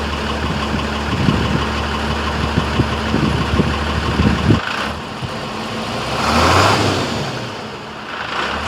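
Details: Diesel truck cold start (engine uncertain, either the International DT466 or the F350 6.9 IDI): even idle clatter about 220 beats a minute, then a brief rev, settling without misses or knocks; normal cold start and idle.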